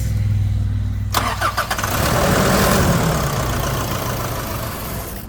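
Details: Nissan Navara D40 diesel after primary fuel filter replacement, system not primed enough by hand pump: starter churns with steady rough drone but never catches; air in the fuel system needs bleeding.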